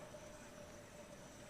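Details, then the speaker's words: Solectria AMC325 motor controller with a faulty encoder board whose signals never toggle, motor temperature sensor bypassed by resistor: steady faint whine near 600 Hz holding one pitch; motor spins but won't spool up, acting like it has no encoder signal. "won't spool up any faster. So it acts like it has no encoder signal, which it doesn't."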